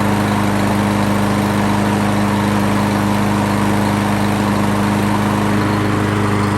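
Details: Craftsman Gold Series 6.75 Briggs & Stratton mower engine after carburetor cleaning of stale fuel, filter refitted, oil checked: steady even drone with constant low hum, no misses or surging; runs smoothly.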